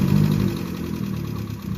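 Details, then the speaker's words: Vauxhall Astra H 1.4 petrol, 79K miles, cold engine after timing chain replacement: smooth steady low idle hum, no rattle from the chain, only an exhaust blow. "engine anymore very nice only here is exhaust blowing no raving please cold engine it's gone very quiet now no rattling"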